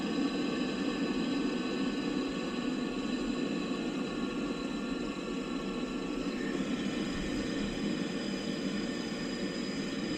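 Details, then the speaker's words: Boiler after new air pressure switch (earlier control board and venturi replaced), hot water demand from kitchen faucet: ignited instantly, steady even roar with smooth fan hum, no pulsing, rattles or dropouts; burner firing cleanly. "I'm going to shut my flashlight so we can watch ignition. I mean, it kicked on like literally instantly."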